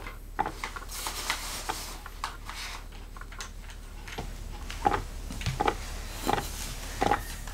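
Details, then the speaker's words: Hot water mat boiler about 3 years old, noisy and barely warm: irregular watery bubbling and popping over a quiet hum from scale restricting water circulation and trapping air. "방금 아까 소리를 들으셨듯이 뽀글 뽀글 뽀글 뽀글 이런 소리가 나면서 지금 이게 쓴지 한 3년 정도 됐는데요. 별로 따뜻하지가 않습니다."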